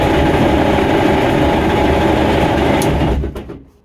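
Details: VW MK1 Rabbit TDI diesel, warm at idle after replaced engine and starter: fast, uneven metallic rattle about three to four per second, then cuts off; loudest near the transmission, owner suspects gearbox or clutch damage.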